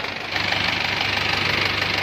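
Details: Four-wheel rice-field tractor diesel on test run after welding and iron-glue repair of its cracked engine block: even, rapid clatter at steady beat, no extra knock or miss; normal running, no longer leaking oil.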